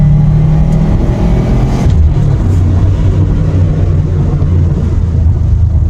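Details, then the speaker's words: Subaru WRX after wheel bearing replacement: low steady road rumble under way, no growl or hum rising with speed; bearings quiet, noise gone, normal road noise. "There is no more noises, the car is fixed, everything is great now."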